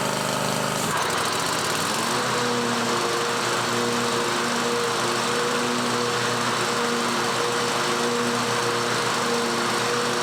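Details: John Deere 130 mower after blade replacement, deck refitted and makeshift gas tank: engine catches within a second, settles into steady even hum; running normally.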